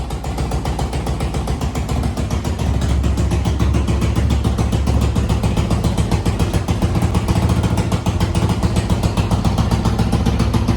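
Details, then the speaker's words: 1986 Honda TRX200SX ATV after tank, new petcocks and carb clean with new bowl gasket: steady single-cylinder thump about three and a half beats a second, clean through light revving; seems to starve on reserve. "all right maiden voyage on the old TRX it's doing pretty good whatever reason it runs a ton of a lot better heck of a lot better"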